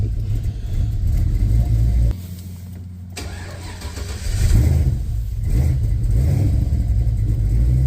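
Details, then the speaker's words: LS-swapped Chevy Caprice box Chevy with newly installed ACES fuel injection and new intake gaskets, communication not right, idle speed raised: low rumble with a dip, recovery and uneven shake on throttle; owner suspects the alternator after voltage dropped to 11 V, unconfirmed. "Guess I'm about to give it some gas. See, that's that's where I'm not liking. That's where I'm not liking this."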